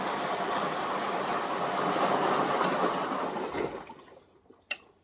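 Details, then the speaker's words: Front-loading automatic washing machine running with back and top covers removed, final rinse where softener siphons into the drum: water sloshing and draining steadily, then a single click as the rinse ends before spin; normal final rinse. "um think it's causes a siphoning effect for the softener to drain into the drum for its final lch you can hear the clicking"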